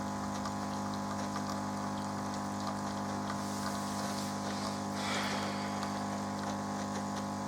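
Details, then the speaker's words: Melitta Caffeo CI coffee machine after repair; it had previously hummed and looped on system start without rinsing. Now the pump gives a steady buzzing hum with water flowing, no stutter or strain, while brewing coffee. Normal pump operation. "отлично отлично все все у нас работает заливает прекрасных кофе"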